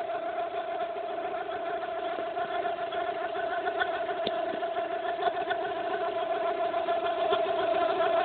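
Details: Fiat Brava 1.6 16v running: steady mid-pitched whine over the engine, growing slightly louder, from the belt area; noise appeared suddenly, cause unknown.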